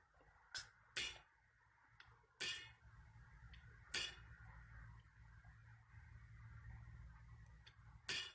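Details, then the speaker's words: 2007 Jeep Liberty 3.7 L with P0456 EVAP small leak code, purge solenoid actuated by applying power: five or so sharp, crisp tik clicks, unevenly spaced over eight seconds; valve actuating normally. "you're just gonna listen for to make a little kind of a tik tik sound or little kind of a spring kind of a noise sound in there and you'll know that the that the the personal annoyed valve is turning on"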